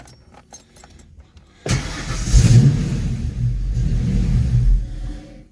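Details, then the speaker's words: Fox-body Mustang after GT40 tubular intake install, timing, TPS, IAC, EGR checked, fuel pressure about 43-44 psi, no check engine light: cranks, catches, runs roughly with choppy idle, then stalls without throttle; cause unresolved. "unless I keep my foot on the gas pedal [Music] that's my foot a little bit on the gas pedal now my foot's off it just stalls"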